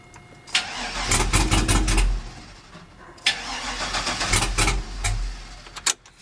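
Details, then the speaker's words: Old GM truck with 6.0 L V8 and 4L80E, after a 30-minute VATS relearn with no dash installed: two bursts of brisk, even cranking that never catches; no start from the VATS anti-theft lockout. "all right we've completed the 30 minute what you call it relearn procedure let's see what happens same crap"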